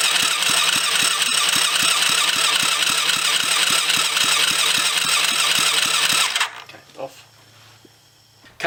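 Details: Kids' 110cc quad after full rebuild, new battery: even starter cranking at about three to four strokes a second for six seconds never fires, then stops; spark is present, immobilizer suspected.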